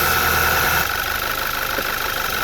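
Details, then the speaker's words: 2010 Audi A4 2.0T after high-pressure fuel pump replacement, fuel smell in oil, oil not yet changed: idle turns uneven after a second with a rough, lumpy beat and faint knocking; misfire, owner unsure if oil or further problems. "Alright, so you can hear it start to mist now. So I don't know if that's because the oil needs to be changed or if we've still got further problems."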